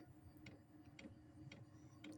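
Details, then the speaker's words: Diesel heater first start of the season burning off dust: soft, even tick about twice a second over a low burner rumble as the fuel pump meters; normal operation. "see if you can hear that maybe that's the pump kicking on as the pump starts going more starts it'll start blowing faster"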